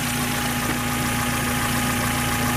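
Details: Low-mile 1994 Mazda MX-5 Miata four-cylinder, long stored, idling smoothly with a steady even hum and no lifter tick; a slight bearing noise, suspected timing tensioner, is barely audible; normal idle.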